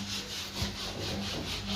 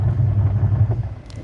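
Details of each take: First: Washing machine spin dryer shakes the whole machine with rhythmic knocking about twice a second as the drum labours; the motor isn't delivering full power, a weak capacitor leaving the spin motor short of speed. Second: Washing machine wash motor after repair, switched on and resisting being stopped by hand: a steady low hum, even and strong under load with no dragging or stalling; normal running, now taking full load.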